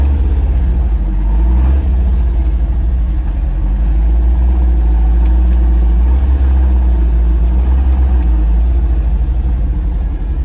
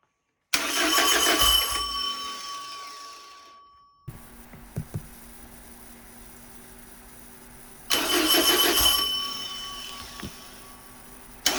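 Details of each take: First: Porsche 914, 2056 cc engine, performance cam, dual throttle body MegaSquirt EFI, Tangerine Racing exhaust, test drive after basic tune: deep throaty note swells smoothly while accelerating, no stumbles; lots of torque to high rpm, healthy. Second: Porsche 914 with newly built 2056 cc engine, dual throttle body MegaSquirt EFI, 123Ignition, first start on test stand: catches and revs briefly, dies within seconds, twice; lean stall, fuel settings not correct in software, later fixed.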